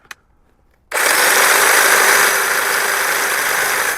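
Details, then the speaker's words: Older cordless DeWalt DCM563PB hedge trimmer, rated 98 dB, grown somewhat noisier with age: spins up to steady high buzzing hiss with even blade chatter, winds down cleanly; normal running. "As you can hear, that's fairly noisy. Uh as it's got older, it has got a bit noisier, which is what I think you'd expect from anything like this."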